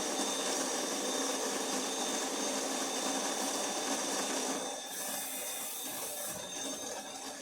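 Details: DeLonghi Magnifica after full tune-up with moving parts cleaned, lubricated, calibrated: steady high grinder whirr about five seconds, then quieter even hum from old but strong water pump; normal operation.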